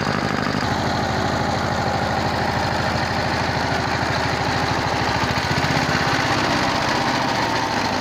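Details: 22 HP single-cylinder diesel after repair of a worn rocker arm shaft and broken rocker bush, grinding of the head for low compression, and tappet setting. Steady thump about 150 per minute with even firing and no tappet clatter: normal running.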